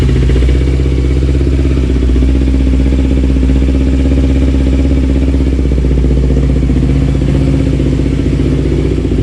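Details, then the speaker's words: Kawasaki Ninja 250R (2008-2012) just after clutch replacement, not yet warmed up: steady, even idle putter with no rattle or slip noise and no oil leaking; sounds healthy. "sounds good i don't see any oil leaking out of the bottom she sounds healthy"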